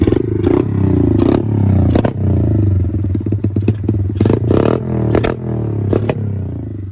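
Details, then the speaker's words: 110cc Chinese pit bike with generic exhaust and an untuned aftermarket carb, revved up and down: blubbery, uneven exhaust with some crackle between blips; running a little rich. "this one's running a little rich i have a nibby carb on here it's not quite tuned yet"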